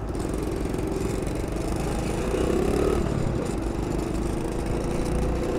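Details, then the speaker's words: 2009 SYM Symba 100cc motorbike riding at steady throttle with an uneven metallic clatter over the buzz; the exhaust/muffler is loose where it joins, the owner thinks from a screw missing since that day. "And you can hear that clattering sound. That is the exhaust system loose. I think I'm missing a screw, which happened today."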